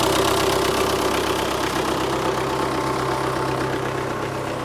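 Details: MTZ-892 tractor diesel, which had been down on pulling power, idling after its turbocharger was swapped for a Czech unit: an even beat about four per second with a faint constant whistle. Whether the turbo should whistle was in question; it runs smooth and healthy.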